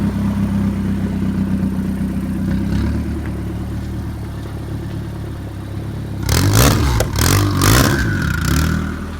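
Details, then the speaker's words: Mazdaspeed 6 with newly built engine, first start, intercooler piping rerouted: idle fairly steady, but throttle blips bring ragged surges that stumble and cut out instead of revving cleanly. "alright so we were having some throttle issues every time you can get into throttle to start cutting out like crazy"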